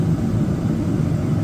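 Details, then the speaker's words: Furrion Chill RV air conditioner on cool after its control panel was replaced: the compressor kicks on with a steady, heavy, even drone and no knock or rattle, and it blows colder air than outside, so it is running normally. "Okay, so the compressor just kicked on. It's definitely blowing colder air than the air that's outside of this space."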